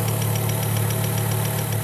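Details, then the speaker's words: Healthy fuel injector heard through a mechanic's stethoscope probe placed on top of the injector: crisp, even ticking about seven times a second over a low engine idle hum. "that's what a good injector should sound like a nice crisp tap"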